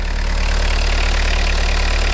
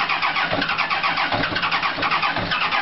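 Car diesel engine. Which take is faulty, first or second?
second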